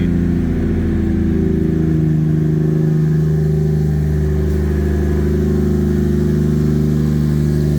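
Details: 800 hp Lexus IS300 2JZ turbo after a front-end crash, open downpipe with no exhaust, in neutral: a loud, deep steady drone with even firing and no knocks or misses; it idles cleanly, with a small oil leak at the filter or turbo line.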